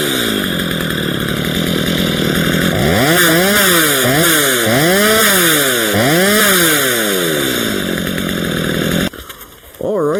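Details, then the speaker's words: Stihl MS 230 chainsaw after tune-up, warm restart without choke catches at once, then clean repeated blips from idle to high revs; crisp throttle response, runs strong. "As you can tell, like this this runs wicked."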